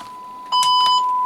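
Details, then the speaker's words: Yaesu FTM-200 after an audio fault repair, with an external speaker connected to the tester and fed from a generator: clean, steady test tone with no crackle or dropouts; audio output working normally. "Ah, okay. So that is obviously working as well, directly connected to my tester."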